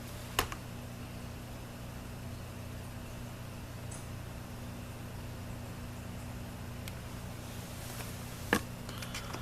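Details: Nikon 70-200mm f/2.8 AF-S VR ED lens on a Nikon D7000, AF-C with lock-on off: two sharp isolated focus clicks over faint room hum, occurring with VR on or off as focus settles; normal, changeable in autofocus custom settings.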